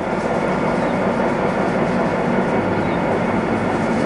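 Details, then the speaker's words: Bronx (UK) 31P86 2500 mm x 19 mm used plate rolls, main rollers running with oil pump removed: steady even mechanical hum with oil splashing through the gears, no knocks or grinding; gear drive runs smoothly. "Yeah, and so that's the main rollers ticking over there. You can all hear the oil splashing around, but all the gears run really nicely."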